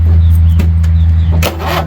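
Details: Craftsman Turbo twin 20 hp 42-inch mower with Briggs & Stratton opposed twin, sitting about five years, WD-40 sprayed in plug holes as starting fluid: deep, labored droning crank that never catches, then sags; stiff engine, struggling starter, owner wonders about a bad starter.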